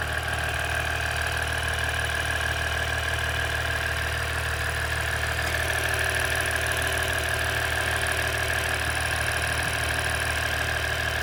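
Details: 2017 EcoDiesel at idle: steady diesel idle with a fast, light, constant ticking around three per second; source of the click unknown.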